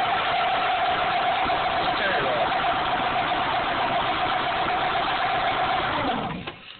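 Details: 1998 Dodge Neon 2.0L DOHC engine revving: steady high whine over the engine that drops away as revs fall; accessory whine, owner suspects the water pump, not confirmed.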